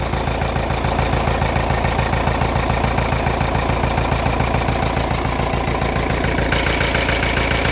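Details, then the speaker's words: Kia Carnival diesel, hard morning starts needing throttle, ABS light on, tach and speedometer dead: heavy lumpy idle that never evens out, out of sync and unstable; turbo fine. "Suaranya tidak sinkron dan tidak stabil."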